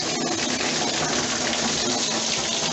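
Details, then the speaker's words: Water turned back on after a leaking Bradford White Defender water heater was replaced, with air in the line heard first, then a strong, steady rushing hiss of full hot-water flow with no sputter or surging. "He just turned the water back on. And we good to go."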